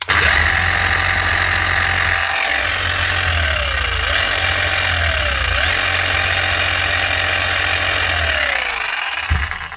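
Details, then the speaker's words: Customer power tool that started intermittently, after a bad connection was tightened; an earlier spark had tripped the RCD and cut power: motor spins up to a steady whine with an even hammering rattle and holds speed; problem fixed, working normally. "Right, that's what the problem was."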